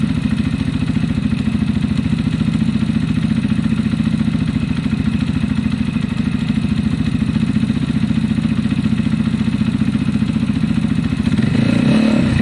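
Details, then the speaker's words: Zontes EFI motorcycle with a fuel-injection cutting-out problem, idling soon after the choke went off: a steady even idle with a faint light tappet tick. It sounds much better now. "i think it sounds much better to me already and actually i technically i can hear the tactics a little bit"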